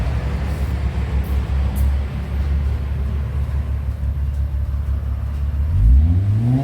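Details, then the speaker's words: 2003 Mitsubishi Magna VRX TL, 163 kW, new custom sports exhaust, heard from outside on its first time hot: deep, smooth rumble climbing cleanly as revs rise, even and strong, deep as the customer wanted; healthy exhaust note. "Lovely and deep like the customer wanted. It certainly has the look and has the depth."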